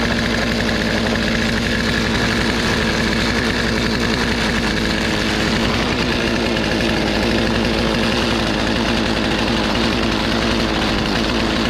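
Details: Poulan 2450 chainsaw with 18-inch bar, reassembled after chain, bar and handle work, sat two weeks; steady buzzing two-stroke idle holding an even pitch throughout, no surging or stalling; saw revived and healthy.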